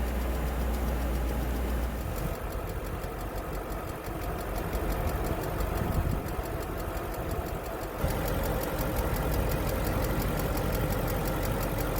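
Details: BMW M60/M62 V8 (E31/E32/E34/E38/E39 family), not started in over a year, cold start: loud steady roar over idle that doesn't settle; faulty viscous fan clutch locked up, replaced.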